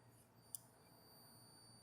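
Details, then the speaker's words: Game Boy Color with a BennVenn backlight ribbon converted from v2.1 to v2.3: faint steady high-pitched whine and buzz under the speaker with one click, plus screen lines, because the pin 3 mod has not been done yet. "hear that buzzing sound that buzzing is because we didn't do the pin 3"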